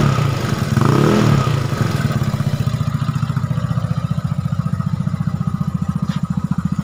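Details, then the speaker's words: Yamaha Nouvo "lele" scooter, newly bought and planned for bore-up and CVT upgrade, idling: brief rev then even, steady thump about three beats a second; engine runs fine, still starts strongly. "Nah suaranya Lur ini setelan klepnya habis nggak begitu kencang karena habis dipecok-pecek atau habis di endrayani"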